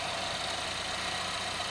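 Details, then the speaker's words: 2011 Chevrolet Equinox 2.4 Ecotec after timing set and cam phaser replacement, about 450–500 miles later, hood open: even steady idle, no knocks or ticks; runs smooth after repair. "just like a clock y'all so the echo tank can be fixed you just gotta fix it"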